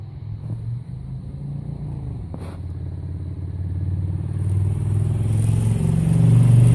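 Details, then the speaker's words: 2005 Honda VTX 1300R before Cobra slip-on and jet work, first baffle drilled with about five 3/8-inch holes, about 15-16°F: cold lumpy, loping low rumble, slightly uneven firing and a brief stumble. Otherwise normal cold idle. "Honda 2005 VTX prior to the exhaust modification. This bike now has the first baffle tapped out with about a 3/8 inch hole, about 5 of them."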